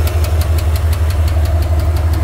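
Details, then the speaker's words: Engine idling with a sharp knock about five times a second over a low rumble; the ticking worsened after driving hard; clutch area checked; owner suspects a loose rod, possibly a lifter, unconfirmed. "and lose Rod or something we kind of checked a little bit right now if he was coming from the clutch area and it sounds like it but I think I think this is going to be maybe the last rod on the engine or something like that that is loose"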